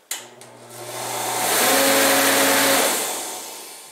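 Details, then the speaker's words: Torpedo heater fan/air-pump motor that wasn't starting, before repair: spins up with an odd hollow hum under rising air rush, running in the opposite direction and sounding different. "see that it started and ran the opposite direction that time if you notice it sounded really different too"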